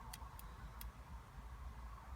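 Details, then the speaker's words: 2008 Freelander 2, ignition on with engine off: a steady high warning tone sounds continuously once reverse is selected, the parking sensor fault alarm; traced to a broken wire in the front harness. "But you switch it on, you get that noise, and on the button then, if I now select reverse,"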